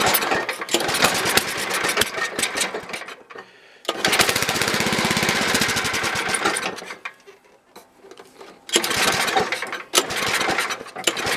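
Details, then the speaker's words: Toro 724 two-stage snowblower, 7 hp engine, sat about 2 years, runs only with choke at first notch: catches in uneven rattling bursts and keeps stalling; needs carb tuning, possibly carburetor removal. "As I say that, it doesn't run. It's hard to do with one hand. Anyway, it needs some carb tuning and maybe the carb off."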